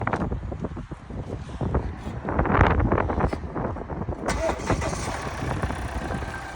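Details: 2017 Volvo XC90 D5 diesel at cold-start idle: rough, uneven idle with a steady hissing buzz rising partway through; cause unknown.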